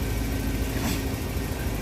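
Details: Van engine after a day of repair work: steady low rumble with an even, unhurried beat and no knocks or misses; normal smooth idle.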